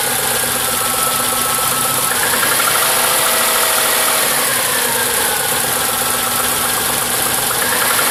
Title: Cold engine knock sound?